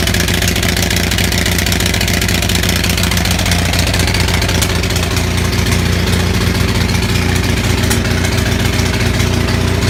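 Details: Onan 6500 (6.5 kW) gas commercial generator, missing its muffler: severe misfire with uneven lumpy beat, popping, backfiring and shaking, voltage jumping; spark present throughout, cause found to be a severely fouled spark plug.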